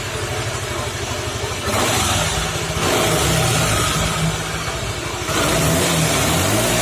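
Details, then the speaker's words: Suzuki Nex FI scooter, weak on climbs, rear wheel spinning with engine running; harsh rough growl rising and falling with revs, quieter when the wheel is braked; gearbox bearings or CVT suspected. "Suzuki Nex itu suaranya wah kalau buat nanjak itu benar-benar ngempos banget roda diputar segini aja udah suaranya seperti ini Ini masalahnya adalah CVT kalau nggak lahar sini kalau nggak di bagian gearboxnya"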